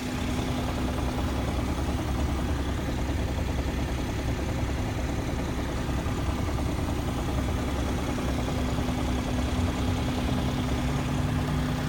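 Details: 2017 BMW 340i xDrive at idle: a fast, even knock under a steady low hum. It occurs when the fuel tank is below 1/4; cause unconfirmed.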